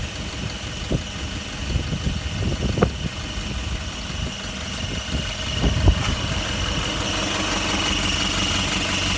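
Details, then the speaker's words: Toyota Prado/Land Cruiser LC120 1KD-FTV diesel at idle: rumble with sharp uneven squeaks from worn exhaust flex joint; pressing the tailpipe stops it, slowly returns with vibration. "if you put your foot on the tailpipe hear that stopped it'll slowly come back as it vibrates"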